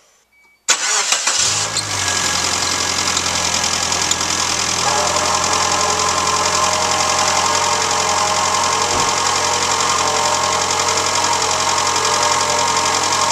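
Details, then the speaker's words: 1995 Suzuki Sidekick 1.6L G16 engine at idle after a needless water pump replacement; a steady high-pitched whirr rides over the idle and holds its pitch, coming from the brand-new alternator sharing the fan belt; alternator bearing noise. "It wasn't the water pump after all. Okay, so I just switched out a water pump that was perfectly fine. What is making that noise? It's my brand new alternator that's making all the noise."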